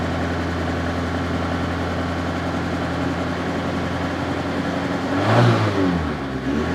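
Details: Opel Ascona petrol engine still running on old fuel, before an oil change: an uneven, lumpy idle with a brief rev that won't settle. It is suspected to clear once the old fuel is used up.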